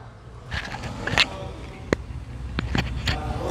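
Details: Jeep Compass 4x4 with 48,000 km, microphone beside the front stabilizer bar. Sharp irregular metallic clunks, about five in four seconds, over a quiet background: worn stabilizer bar knocking in the suspension; bar replaced.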